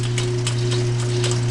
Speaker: and quiet I got a that clicking is I got a bad I felt that somebody riveted together so I need to put a new belt in there